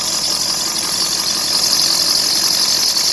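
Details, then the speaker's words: 2001 Ford F-350 7.3 Powerstroke diesel at idle, with a new idler and tensioner: a piercing, constant belt squeal at the water pump pulley. The belt rides on the right side of the pulley, and a water-spray test points to the water pump. "you can hear the god-awful squeak that I got going on in there into the water pump pulley"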